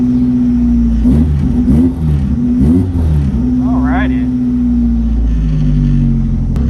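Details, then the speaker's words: Rotrex-supercharged Miata on Haltech ECU with new coil pack update map: catches right away, steady idle with clean throttle blips; starts much quicker than usual, normally struggles on cold starts. "so one thing I noticed immediately was it started up way quicker than it normally did. Usually it struggles out of cold starts."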